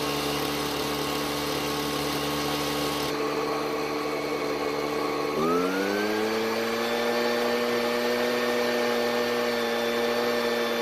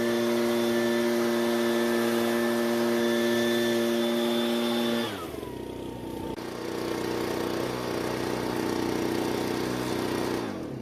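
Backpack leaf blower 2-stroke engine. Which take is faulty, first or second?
first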